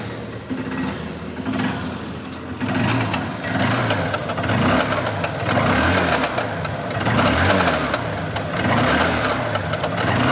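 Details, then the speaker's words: Small motorcycle started and put into gear: an irregular, loud clattering knock from the drive chain that is absent out of gear; cause suspected, not confirmed. "आवाज जो है बहुत ही ज्यादा आ रही है तो हम आपको इस चैन की आवाज इस तरीके से दिखा रहे हैं"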